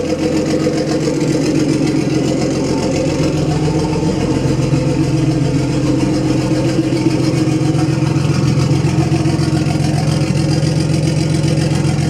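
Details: BMW E36 320i turbo drift car, just restarted after refuelling: an even, steady idle with a smooth low beat of about three to four pulses a second and no misses, described as running like clockwork; a normal idle.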